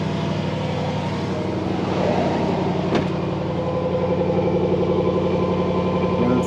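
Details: Range Rover Sport with rebuilt 5.0 V8 installed after timing chain failure, daily driven a week without problems, started a little cold: settles into steady, even cold idle with light rumble and brief click near three seconds; healthy.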